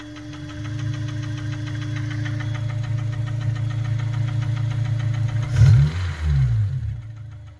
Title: s2000 possible rod knock or tct? #automobile